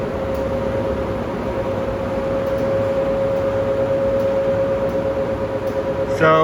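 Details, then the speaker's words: Industrial fan running: steady hum with mid-pitched drone and rough gritty rush underneath; worn bearings heading toward failure but not yet grinding, still some life left, replacement planned in a few years. "compared to the Fujitsu Halcyon Inverter system, this industrial fan also has bearing wear and the bearings are going out in this fan,"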